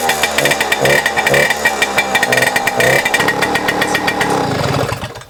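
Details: 1997 Suzuki JR50 50cc two-stroke single-cylinder kids' dirt bike after restoration: sharp, rapid crackle revving up and dropping back cleanly; the little engine runs freely and sounds healthy.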